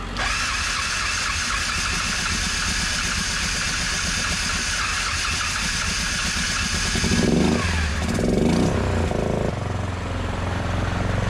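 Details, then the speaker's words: 2010 Yamaha Grizzly 450 utility ATV barn find, hard starting: no working starter, so it was jump-started from a truck. The single cylinder now runs steadily and really smoothly, with no smoke, and revs rise and fall near the end. "I was able to jump start it and get it to run though here it is running and actually running really smoothly"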